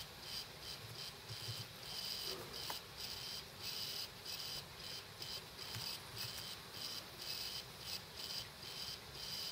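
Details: Dead laptop hard drive running with cover off: high, insect-like chirps about every 0.7 seconds in a steady retry loop; probably killed by the computer parking the head every minute or so (suspected OS X/power-save firmware interaction).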